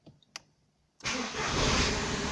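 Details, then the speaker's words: VW Polo 6N2 after a no-crank fault from a bad ignition switch, now bypassed with a start/stop button module: a second of quiet clicks, then engine catches at once and settles into an even, steady idle; clean, healthy start. "it's working looks like a ferrari with this boat i'll turn off"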